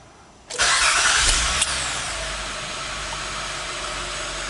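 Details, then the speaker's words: 2003 Acura MDX after fuel pump replacement, previously hard to start: brief crank, catches almost instantly and settles into a smooth, even idle; normal start. "turns on right away Sweet Sound so the car is working"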